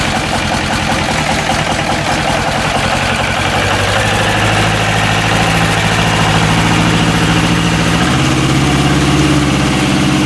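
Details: Westwood lawn tractor with a Ruggerini twin-cylinder air-cooled vertical-shaft diesel, previously hydrolocked, running after starter motor replacement. Steady, even diesel chug that picks up smoothly when revved near the end; runs clean with no knocks. Normal running.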